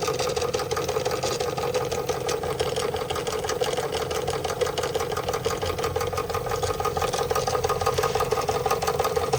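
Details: Märklin 16051 twin-cylinder toy steam engine, still running in, just coming up to steam with the pump recirculating: even, regular chuffing at about three beats a second, smooth with no knocks; normal slow "museum speed" running.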